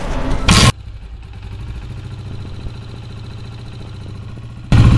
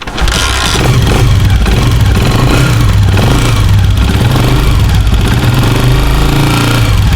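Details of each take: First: Motorcycle engine after a top-end tapping noise was fixed at home, with a 12 mm bolt opened, instead of the cam gear replacement a mechanic would suggest. It catches and runs with a steady, even beat between blips and no tapping, so it sounds healthy. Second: आवाज़ सुनी आपने कितनी ज़्यादा बुरी है। इस आवाज़ के लिए आप किसी भी मैकेनिक के पास जाएंगे तो आपको बोलेंगे कि आपकी बाइक की केम गरारी न्यू डलेगी, लेकिन मैं आपको बताऊंगा कि कैसे ख़त्म होगी।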